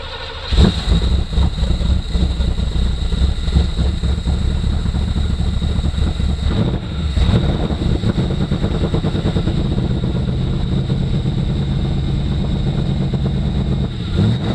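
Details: 1986 or 1987 Camaro Z28 bought at auction, first start with a temporary external fuel source: engine catches right away and settles into a steady, even low rumble with no misses or knocks; running healthy.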